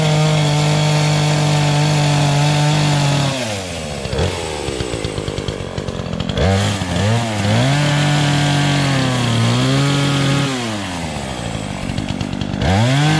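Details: Remington Outlaw 20-inch two-stroke chainsaw, started with choke for the first time in over a year on year-old fuel. It buzzes cleanly at idle, then revs up and drops back smoothly with no sputter or stumble; runs healthy.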